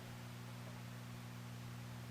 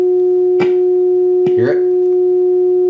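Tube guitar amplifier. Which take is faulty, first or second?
second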